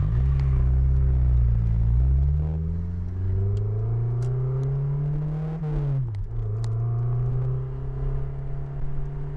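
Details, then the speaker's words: Honda S2000 on a test drive with the top down, after a new timing chain tensioner and an oil change: the engine note climbs smoothly through two pulls with a clean shift between and no stumble. It sounds healthy. "Small pull, ready? Here we go. I'm really hoping you guys could hear that."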